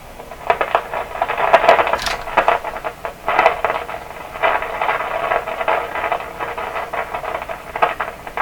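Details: 1929 Victor RE-45 radio with a third #27 detector tube fitted, at full voltage: irregular crackling and popping bursts, suspected partial discharge, still break through the speaker; a tube swap tests whether the tubes or something else cause it.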